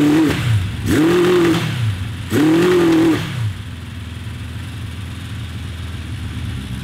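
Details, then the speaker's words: 1982 Honda CB750 four-cylinder, 750cc, redline 9,500 rpm. Sharp blips sound mean at idle, then flatten and fall on their face near four thousand rpm, dropping back to a lumpy idle. Not fixed; owner suspects timing or an exhaust restriction. "i really like the sound of this bike it sounds mean idling and then up to like four grand and then it just falls on its face"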